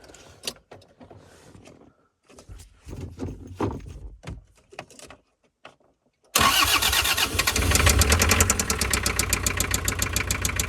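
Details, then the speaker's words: Toyota van with 2L diesel: starts but idles poorly, loses power, heavy steady knocking about three per second, louder with revs; cause thought to be a spun rod bearing. "รถตู้หัวจรวดเครื่อง2Lนะครับสตาร์ทติดแต่เดินเบาไม่ค่อยได้นะครับแล้วก็มีเสียงเขกป๊อกๆๆๆแล้วก็กำลังเครื่องยนต์ตกนะครับยิ่งเร่งเครื่องเสียงยิ่งดังนะครับมาดูกันนะ"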